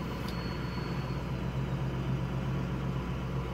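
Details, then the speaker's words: Ford F250 6.0 diesel, 4WD, straight-pipe 4-inch turbo-back exhaust, running a self test at idle: steady diesel idle with a faint high turbo whistle coming and going as the system cycles turbo, EGR and IPR/ICP pressures; normal, no knocks or rubbing. "That noise you hear is normal. That's really what it does. Not too sure what exactly the engine is doing."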